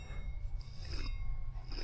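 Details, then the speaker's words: Old driver-side front wheel hub from a 2008 Chevy Silverado 1500 4x4 spun by hand with no load: two bursts of gritty scraping with a faint metallic ring, unlike the smooth new part: dry worn wheel bearing. "Those are really dry bearings in there."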